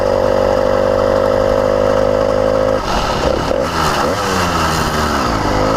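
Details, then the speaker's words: Newly installed CDH110 110cc (true 85cc) 52mm iron-sleeve two-stroke on a motorized bicycle. A buzzing drone wavers as revs hunt up and down. It sounds like an air leak, but the owner says there are none; it is running lean, surging and bogging. "all right guys I'm just going to give you a quick what's going on here so you hear it surging it sounds like it's maybe an air leak but there is zero air leaks on this motor"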